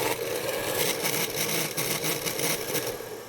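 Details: Taiff 127 V hair dryer, cover missing, with its fan running with a rough, hissy scraping and fast irregular rubbing: worn motor bearing (mancal) causing the fan to scrape.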